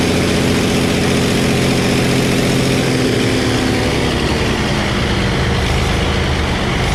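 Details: Early Case 930 diesel tractor, believed 1960, possibly first start in about 14 years: diesel clatter picks up crisply on throttle, then settles back smoothly with no lag or misfire; healthy throttle response.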